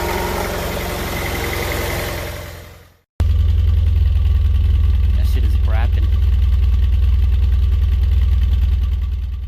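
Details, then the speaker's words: Honda Prelude misfiring at idle: an uneven lope with irregular pops about three per second. The owner suspects the spark plugs (unconfirmed) and plans new plugs, wires and maybe a distributor cap and rotor. "shaking more than i used to i think it's it's firing or something if the way the uh the fumes come out of the exhaust it's like popping it's sort of like a brapping kind of engine right now"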